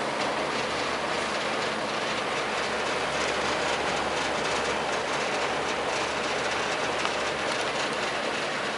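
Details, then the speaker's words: Junkyard Torcan box fan running; steady even rush of air with constant motor hum, no knocking or rubbing, fairly quiet, slight jiggle; bearings dry with slight scratch at spin-down — normal running. "It's actually really quiet. It's actually a nice quiet box fan, man."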